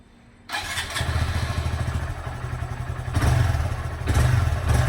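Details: Honda Grom after throttle cable adjustment: starts with a thud, then the small single burbles at an even idle with only slight swells, steady with no hunting; normal idle.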